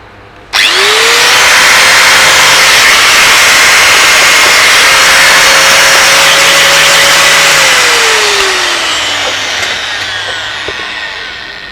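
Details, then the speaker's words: Bosch GWS 060 angle grinder that ran weak and cut in and out, after cleaning dirty carbon brushes: motor spins up to a clean, steady high whine, holds speed, winds down smoothly; runs normally again. "แล้วก็ลองเปิดเครื่องดูปรากฏว่าเครื่องกลับมาทำงานได้เป็นปกติแล้วนะครับ"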